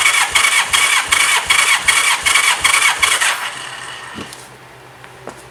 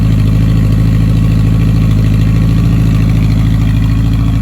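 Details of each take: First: 1985 Honda Gold Wing GL1200 compression test with throttle held wide open and a helper battery connected: starter spins at an even beat, about 2.5 pulses a second; almost 140 psi read, close to the 140–150 spec, so the cylinder is healthy. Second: 1985 Honda Gold Wing GL1200, sat one to two months, idling around 1500 rpm on choke while warming: even low rumble with a slightly uneven pulse; still white smoke, smells like coolant, owner suspects head gasket; bad rings later confirmed.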